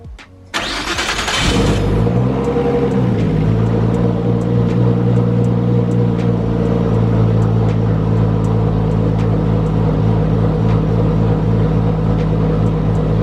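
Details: Nissan Skyline first start after a motor rebuild: cranks, catches cleanly and idles steadily. The turbo sounds good with no head noises, but the injectors tick loudly; fuel pressure and AFRs are good, coolant 128°F, oil pressure 5.3 bar.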